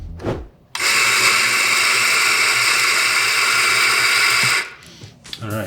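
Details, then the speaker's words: Eureka Mignon Silenzio 55 espresso grinder grinding about 18 g into a portafilter; steady, even low-toned quiet grinding whir for about four seconds with no catches, rattles or labouring, normal grinding. "this Lensio has like a really low tone. It's quiet and you wouldn't wake up even probably someone in the next room with this grinder in the mornings."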